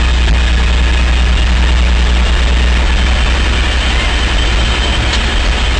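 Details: 1964 C50 truck, 292 straight six, just started for its first road drive in five years, with oil pressure: deep, steady low rumble with an even beat and no knocks or misses; healthy idle.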